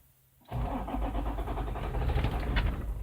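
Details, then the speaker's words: 2006 Toyota Land Cruiser diesel, no fault codes after restoring scan-tool communication: cranks, catches and runs with low uneven clatter for about two seconds then shuts off; immobilizer cut suspected. "It actually ran and stopped. Did you hear that? It runs. It cranks and runs for about 2 seconds."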